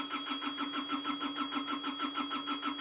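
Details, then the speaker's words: Hitachi EX55UR excavator, sat a year with broken boom, diesel fuel gauge showing barely anything: steady starter churn about seven beats a second with whining tone, cranks but won't fire; owner suspects low fuel, not confirmed. "I'm going to try to crank it one more more time then I'm going to go get diesel and give Marty a call see when he's going to be back over here"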